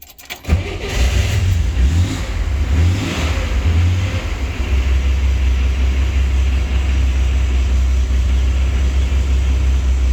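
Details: 1965 Corvair starts and settles into a deep, steady idle with a persistent low rumble in neutral that goes away when the clutch pedal is pressed.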